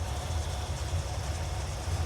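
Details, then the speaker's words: 1981 Corvette V8 after rocker nut repair, idling after 10 minutes: deep, steady, even rumble with no ticking or knocking, no leaks, temperatures good, quieter than before. "all right she's been running for 10 minutes everything looks good no leaks temp temperatures are good she still sounds"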